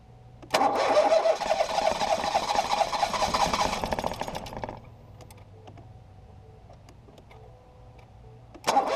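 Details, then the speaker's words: 2018 Ford Focus SE parts car with suspected water in a cylinder, plugs refitted after blowing out fuel-smelling fluid; starter whirs steadily about four seconds, then briefly again, never firing; owner suspects a drained battery; engine-fault service message shown. "oh it's trying but oh it's not trying anymore maybe I killed the battery too much"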